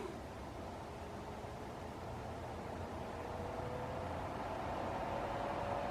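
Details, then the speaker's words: Case fans on a new desktop PC build at first power-up, slowly ramped to full speed: steady airy rush with a faint rising tone, even and clean; normal loud airflow at full blast. "now these ones get pretty noisy too when you get them full blast but they move a lot of air okay that's what I need it for"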